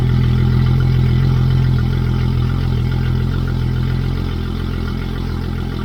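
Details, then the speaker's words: Yamaha F225XB outboard newly installed on a 21 ft pilothouse boat, running out of the water: loud steady deep drone at even pace, no ticks or knocks; idling smoothly and healthy. "Alright, it sounds really loud. Maybe when it's in the water it's not gonna sound that loud, but that sounds loud. Alright, it's running perfect."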